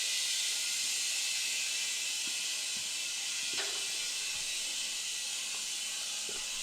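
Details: Kenworth K100 cabover with CAT 3406B, not driven in 25 years, first start; steady high-pitched hiss over the compressor filling the tanks, never letting up, air escaping from a leaking line.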